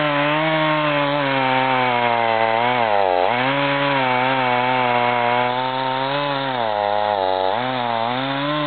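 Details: Husqvarna 55 chainsaw test cut at full throttle: pulls steadily, revs dip twice under load, engine runs strong but cut sounds laboured; fine sawdust shows a dull chain needing sharpening.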